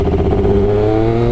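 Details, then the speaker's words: Triumph Daytona 955i fuel-injected motorcycle after aftermarket slip-on exhaust: pulling throttle from low rpm in first and second gear gives uneven, stumbling sputter, worse in higher gears; exhaust leaks sealed, owner suspects tuning needed, cause unconfirmed. "so even in first gear if I'm in low RPMs and then I just pull on that throttle hear that sputtering it gets really bad if I start going up gears"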